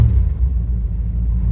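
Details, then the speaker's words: 1976 Chevelle Malibu, cold start after new transmission install, pedal pumped to start, exhaust cut off except catalytic converter; deep, steady, even rumble with no knock or tick; normal cold-start idle. "I cut off the exhaust other than the catalytic converter sounds pretty good actually yeah sounds real good"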